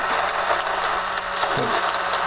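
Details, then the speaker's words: Tomy Electric Super Cup football game after repair (no power to motor fixed), hair cleaned out and mechanism regreased: small motor whirs loudly with sharp plastic clicks as the corner flippers flick up when the ball enters; normal running. "turn it on this thing makes a racket [Applause] the clicking you can hear are the little corners that flick up and down when the ball goes in the corner the little bits of plastic flick up"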